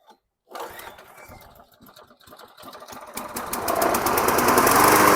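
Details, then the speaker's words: 1998 Craftsman High Tunnel self-propelled mulching mower with green Quantum-style Briggs engine, aftermarket carburetor fitted after the original needed a second cleaning; a few pulls, then it fires and settles to a steady, even run with no misses or knocking, normal. "So what do you say we start this fine beauty up, and then we're gonna do a little test run here in my front yard."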